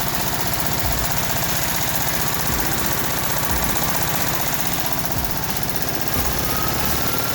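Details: VW Type 1 36hp flat-four, reassembled after suspected rod knock turned out to be pushrod guides: loud steady lumpy beat about three pulses a second with deep exhaust thrum, no knock; normal running.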